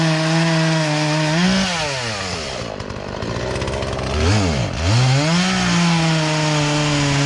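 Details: Poulan Pro chainsaw that sat unused in a barn for three years and never ran right, after low and high carburetor adjustment with a tool kit: high even buzz dipping smoothly as the chain bites wood, recovering cleanly off the cut; normal cutting under load.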